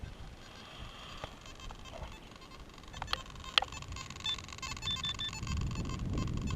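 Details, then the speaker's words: Simplex metal detector after firmware update and factory reset: faint buzzy warbling chatter with odd clicks over quiet hiss, not screaming as before the reset; chatter still an issue. "got some chatter, but it's not screaming. I imagine if I was a headphone wearer, I'd probably be not happy, but okay."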